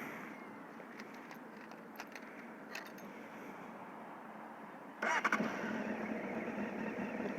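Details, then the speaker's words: 2007 Honda CBF 600 NA (PC38) carbureted with choke, ABS, with regular start checks over winter: a quick crank catches at once and settles into a steady, even idle; normal engine start. "it just started every time and it had no issues with the fuel or anything on the topic of starting let's do it"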